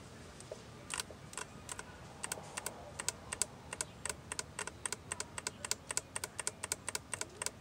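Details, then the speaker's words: Ford/Mazda 3 2.0 with code P2177, testing a solenoid from a replacement kit under power: sharp irregular clicks several a second as it snaps on and off, it arcs a little and works normally. "you hear that little clicking sound so that's working perfectly fine"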